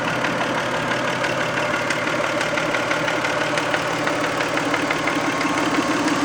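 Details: 1990 Toyota Camry 2VZ-FE V6 at warm idle after a 15-minute drive (started cold first): light, fairly even ticking knock about twice a second over steady idle; knock later went away, owner guesses sludge/varnish stuck on a shim/bucket.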